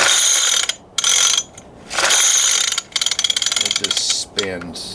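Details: Barn-find 2002 Weed Eater 22-inch two-stroke hedge trimmer that ran and then blew up: sharp ratcheting pull-cord bursts as it is yanked repeatedly, the engine turning over but never firing, pointing to a sheared flywheel key.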